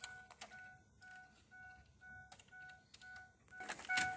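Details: 2007 Ford E350 Econoline XLT passenger van with an AdvanceTrac with RSC fault. A two-note dash chime repeats about twice a second in a quiet cab; the warning is still active.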